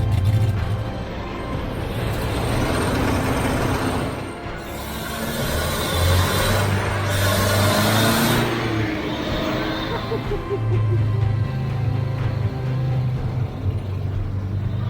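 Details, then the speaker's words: Citroen HY72 van four-cylinder, first run after 8 years standing: settles into a steady, even low thrum with no misses or knocks; normal idle. "that sounds lovely she's alive will she idol idling how about that it couldn't be done"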